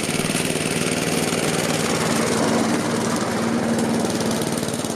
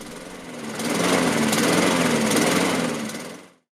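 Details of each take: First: Laser 46cm lawnmower, Honda GCV135 engine, after repair with paraffin-cleaned air filter, governor spring and breather pipe fixed: steady even running, no hunting or surging before shutdown; healthy. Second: Laser (by Mountfield) 46cm lawnmower, Honda GCV135 engine, Keihin BB carburettor, before repair: starts but idle is lumpy, surging and hunting on the governor and dying out; air leak past the misaligned carburettor heat shield upsetting the mixture.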